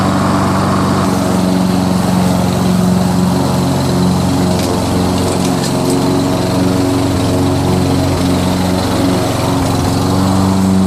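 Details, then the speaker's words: Curbside Toro SR4 Super Recycler 20381 push mower with Chinese clone engine, hard to restart, running without air filter: steady drone whose note wavers and sags, uneven hesitation; owner suspects it sucked in grass, plans carburettor teardown. "It's kind of hesitating. Hear that? I don't have the air filter on. Yep, I didn't have the air filter on. Probably sucked in some grass."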